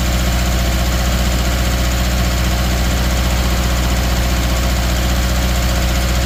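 A deep, loping idle with an uneven beat around three per second that stumbles now and then, typical of a cylinder misfiring.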